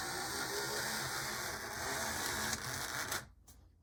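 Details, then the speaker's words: Model train locomotive after repair, running: a buzzy, gritty gear whir with a steady high whine, rough but even, then the motor stops; not quiet, but now working. "okay like a lot of these it's not exactly the quietest thing but it is now a working thing"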